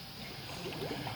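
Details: Chrysler/Dodge RT minivan 3.6 Pentastar with radiator cap, after oil cooler seal and oil pressure sensor replacement, warmed up and revved while bleeding coolant through a spill-free funnel: soft irregular gurgles and burps as trapped air bubbles out.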